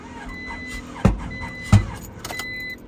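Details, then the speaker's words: Honda Prelude just fitted with a new distributor: barely runs, with two loud low pops about a second apart and rough knocking between them; misfiring, cause unknown. "we got some power this baby is misfiring you hear the loud pops I I believe that's what that's what it's called a mire"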